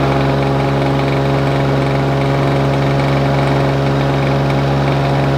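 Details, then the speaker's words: Lawn Boy two-stroke mower after carburettor adjustment, throttle held wide open by hand: steady lumpy drone that won't clear or rev up; owner thinks it runs too rich. Poor revving at wide-open throttle. "I Had It Wide Open as far as it would go before because it was I think it was running just running too rich"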